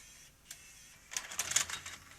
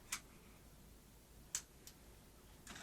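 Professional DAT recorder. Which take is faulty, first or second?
second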